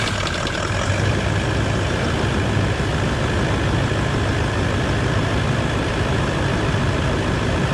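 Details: Toyota 200 Series LandCruiser diesel idling evenly right after a water pump replacement and coolant refill, warming up. Smooth, steady low rumble with no knocks, misses or whine. Normal idle.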